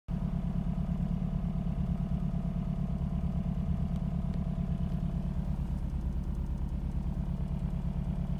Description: These are the symptoms of low compression on one of the cylinders. My problem was with cylinder 4. No compression.